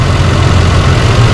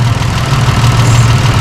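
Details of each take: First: 2005 Holden Rodeo 3.5-litre V6 at idle; deep heavy idle with slight lumpy unevenness, misfire rough idle from one dead cylinder traced to a failing ignition coil and worn plugs; fix is replacing the coil and six plugs. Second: Holden Rodeo 2005 (2008 also stated) being treated for a misfire, still cold, idle raised to about 900 rpm: a loud, deep, even idle with no stumble or shake and a steady low rhythm; all six cylinders firing cleanly, normal idle.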